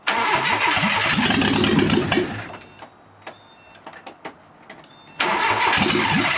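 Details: Fiat Panda 4x4 project after a swirl pot refuel, run on injectors with an ECU test light: fast cranking about 200 rpm, a pause, more cranking that never catches; battery then goes flat; injectors suspected not firing.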